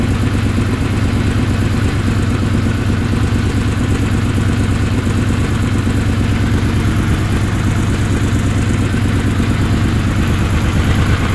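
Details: Honda VFR750 V4 idling after carb work: O-rings removed from each carb's slow (pilot) screw and screws opened a quarter turn. Before, it went flat and lean at light throttle and high RPM. Deep, even idle with steady beat, no misses; normal idle.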